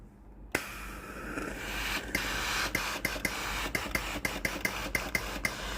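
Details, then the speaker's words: Philips GC9550 steam generator iron, after thermal fuse replacement (thermostat contacts were dirty and sparking, boiler not heating): steam button pressed, hissing rush of steam with regular pump ticks about twice a second; steam output now normal. "ตอนนี้ไอ้น้ำออกปกติแล้วนะครับ"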